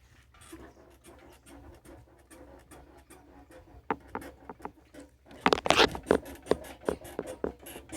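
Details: Honda CG 1999 (CG 99) motorcycle, engine off: irregular dry creaks and ticks, sharper and louder as weight goes on; owner blames jumping speed bumps and potholes, swingarm suspected, not confirmed.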